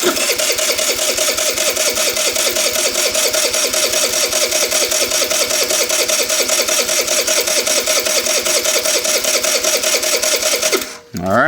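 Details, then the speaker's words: MVP 49cc Chinese scooter after replacing the suspect vacuum line with fuel line: fast, even starter cranking for about eleven seconds, never fires. "So, now we're getting fuel. Took a while to build pressure though, didn't it?"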